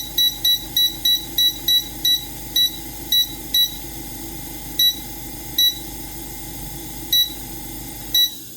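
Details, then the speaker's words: AromaO2 oxygen concentrator control board, after a 2.2k resistor replaced a 22k part: short, sharp beeps, one per button press. The power, timer and manual buttons now work normally. "and the manual button just works i think i got it figured out"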